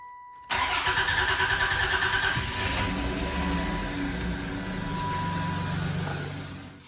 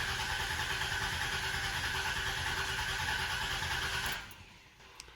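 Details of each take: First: 1993–1997 Dodge Intrepid, fuel pump relay refitted, needing a moment to build fuel pressure: short crank catches quickly and settles into an even, steady idle with no stumble; normal start. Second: 1993–1997 Dodge Intrepid, fuel pump relay pulled to relieve line pressure before a fuel filter change: even, fast cranking for about four seconds with no firing and no pump priming sound; crank no start, fuel pump disabled.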